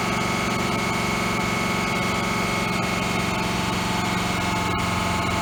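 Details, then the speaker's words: 2005 Ford F450 6.0 diesel idling loud and lumpy with an uneven chuffing beat; a bad injector pushes compression and air into the fuel system, causing misfire that worsens as the truck runs until it nearly stalls. "But then when I let my foot off the gas, it'll be running worse because we're pushing that compression through one of the injectors, and it's going back into the fuel system, and it's causing to have a misfire because there's so much air coming into the fuel lines."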